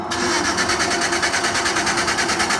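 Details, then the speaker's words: GMC truck that will not start: the starter spins the engine evenly at about nine pulses a second but it never fires; cranks but no start, with fuel pump or ground strap suspected, unconfirmed. "So this car is not start. Look, the crank over but not start."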